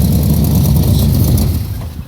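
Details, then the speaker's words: 1962 Impala four-door sport sedan, about 97,862 original miles: strong, even rev with a smooth low rumble settling back down, no knocks or misses; starts and runs well, normal engine revving. "It runs, starts. I'll start it for you in a minute. And I mean, it absolutely sounds and runs like a beast."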